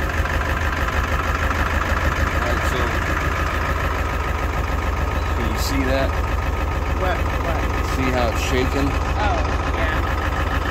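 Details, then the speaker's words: 2001 Ford F450 7.3 Powerstroke diesel after new batteries: uneven stumbling idle from a sticky injector that has taken a while to start working since purchase. "sticky injected if I let it run and come back to life so change the oil change fuel filter again"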